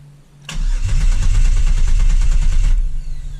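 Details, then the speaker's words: 2000 Camaro 3.8L V6 after reinstall, oil overfilled to 8.5 quarts, plug wires and PCM fuse back in: steady even starter crank about two seconds without firing to build oil pressure, which then reached 60; normal cranking. "right we are building oil pressure let's go crank one more"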